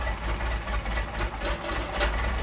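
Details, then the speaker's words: Engine with 44PHH Solex carburetors during idle mixture screw adjustment, the screw turned in until the engine stumbles, then backed out. Uneven, lumpy idle surging and sagging, wanting to shut off; rough idle from over-rich idle mixture. "Screw it in, you'll be able to hear the engine start to stumble, then I'll back it out. Doesn't take much. Hear it stumbling. Wants to shut off."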